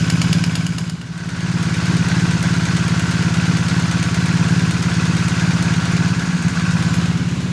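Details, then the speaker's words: 2020 BMW R1250R boxer after replacing the left-cylinder timing chain tensioner with the longer 2023+ type at 32 Nm: even, regular firing pulses at idle, picking up after a dip, no cam chain ticking; healthy. "Let's listen to the sound now. What? It's worked. So the ticking sound is gone. No more."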